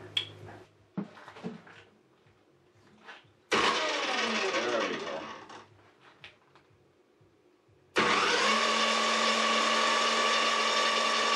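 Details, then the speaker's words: Saw on 60 Hz AC through a cheap, unlisted triac router speed controller that fires only on the positive half-cycle: the motor spins with a harsh, buzzy whine that never reaches full pitch; underpowered on half-wave power. "so that's interesting you can even hear the saw is struggling and and not running very well"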